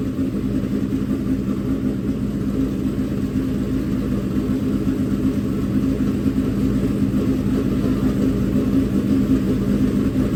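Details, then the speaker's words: Freshly built dirt-track race engine in break-in, held around 2000–2500 rpm to heat up and seat the bearings: a smooth, even, steady drone with no knocks or ticks. It sounds good with no leaks seen yet. Normal running. "we'll let it run for a while she sounds good no leaks that I can see yet"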